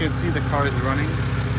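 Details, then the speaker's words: 2013 BMW E93 328i N51 M-Sport after a crank-no-start, separated contaminated fuel found: smooth, even idle, steady low rumble, no misses, running nicely. "running nicely actually I'm going to shut it off and I'll tell you what I did we finally started working"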